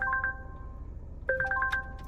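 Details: Wrecked 2020 Volvo running with no coolant: a clear two-tone dashboard warning chime repeats over a quiet cabin; suspected to be because the bonnet is open, not confirmed.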